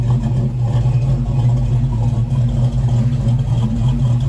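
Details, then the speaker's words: 1956 Chevy truck with LS engine, first start on modified eBay Gen 3 drive-by-cable LS1-to-Vortec harness, cheap mufflers: deep loping idle, sounds cammed but isn't; idle air control still relearning, should smooth out. "sounds like it has a cam it doesn't [Music] [Music] just has to learn iac's got to learn just has to run for a while and that's stuff will Smo right out very nice"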